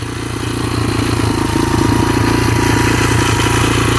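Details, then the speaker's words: Rebuilt 2003 Yamaha TTR125 single-cylinder dirt bike after repairing an engine knock: a steady, relaxed idle thump with no knock or tapping, settling smoothly as it warms. It idles perfectly, with strong compression. "Shifts through all the gears smoothly. Really smooth. Idles perfectly. I can feel the compression all the way back here."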